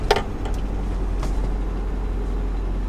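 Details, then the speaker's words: 25-plus-year-old truck, about 101,000 miles, cold weather, no radiator or coolant, fresh full-synthetic oil change: engine catches quickly and settles into a steady low idle; the earlier timing chain rattle is gone, a normal cold start. "only do I not hear the timing chains rattle anymore but it's just for being cold outside the way it fires up like that"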